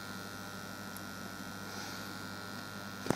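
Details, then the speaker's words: Homemade parametric EQ circuit: a steady low hum with a thin buzzy edge leaks constantly into the speaker output, heard closer through the tweeter. "the only other thing is there was a little bit of buzz through the speakers might be other hear it bit closer through the tweeter"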